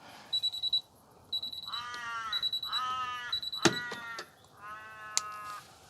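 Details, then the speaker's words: Miele T8929 WP heat pump clothes dryer running empty: short runs of high-pitched beeps, partly masked by nearby animal calls, as it halts on the adjust-load error; owner suspects it needs laundry inside to balance. "there's no load maybe it's just gone out of balance or something i mean does it i reckon maybe it needs a load of washing in there to actually be balanced"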